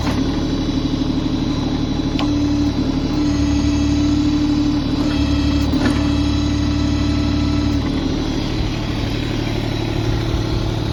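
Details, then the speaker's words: LS XJ2025H 4WD compact tractor with loader and backhoe, still under warranty, at idle: steady diesel clatter with regular firing pulses and no knocks or misses; the owner says it runs great. Normal idle. "Fire it up for you. Runs great, everything works perfectly on it."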